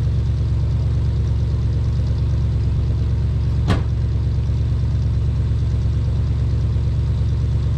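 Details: 1979 Dodge Lil Red Express truck, first start after six months of winter storage, about 55°F, slightly slow crank on 15-year-old battery: deep, steady V8 idle, even low rumble, no ticking or stumble; sounds healthy.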